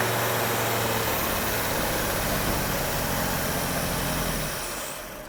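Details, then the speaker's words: Freshly rebuilt engine on first start, statically timed to the 1 and 6 flywheel mark: smooth, even idle with quiet valvetrain and good compression, 4 bar oil pressure at idle, then winds down and stops cleanly; possible fuel supply issue suspected; normal idle. "So Gus, that sounds nice and quiet actually. Yeah, The cams are really sounds good, quiet. yeah. Good compression. Yeah, that's very pleasing to hear."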